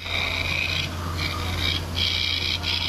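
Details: Huawei Mate 60 RS Ultimate phone camera in super macro close-up; harsh high-pitched motor buzz in repeated half-second bursts with focus blurring; service found it abnormal and said the periscope telephoto lens needs replacing.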